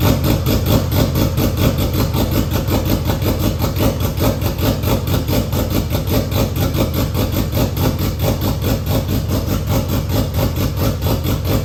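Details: RB25 in R33 drift car with new 6Boost turbo manifold, first start with no dump pipe fitted: loud raw rapid pulsing idle with harsh unmuffled chuffing, exhaust blowing straight out of the turbo, sounding like a massive exhaust leak.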